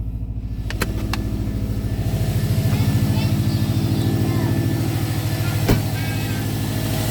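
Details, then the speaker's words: 2009 Subaru WRX with a brand-new EJ255 long block, about 11,000 miles, at idle. A steady, low, evenly spaced knock about three per second. Owner suspects rod knock or a rod bearing issue; unconfirmed. "yeah I'm a little concerned this would be the second engine that I've had rod knock in a different Subaru this time"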